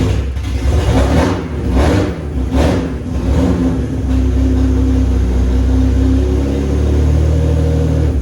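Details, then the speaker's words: BMW E36 with swapped S54 engine, first start, exhaust not fully built; three sharp throttle blips then settled even idle, no ticking, VANOS sounds great; healthy running. "Holy shit, guys, it fucking runs right now. I am so stoked right now. Everything's running really good. It sounds smooth, no ticking. Vano sounds great."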